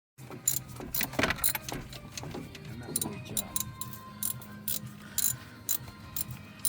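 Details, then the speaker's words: Toyota Hilux at start-up with irregular metallic clicking and ratcheting over a low engine hum, traced to an internal alternator fault after belt tensioner replacements failed. "Le vamos a presentar dónde se encuentra la situación acá en el alternador internamente. Escucha el sonido con nosotros."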